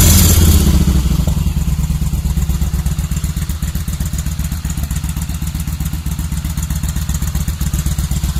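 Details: Kawasaki VN1500 first firing after rebuild: deep, even V-twin thump settling from a rev into a steady lumpy idle, about four beats a second, no odd knocks.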